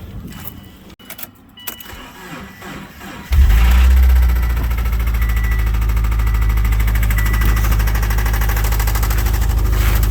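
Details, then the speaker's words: Subaru, Gates timing belt done at 108,000 miles in 2016, head gaskets done, oil full but dark, no metal noted. Cranks and catches, lots of smoke, rough idle with dull knock about three times a second; suspected lower-end (rod) knock. "I don't know if they missed it, but might have a little bit of lower end noise."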